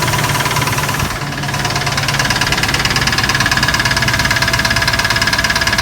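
Steady idle with a sharp, regular knock roughly three to four times a second, tied to engine speed; lifter or bottom end undetermined.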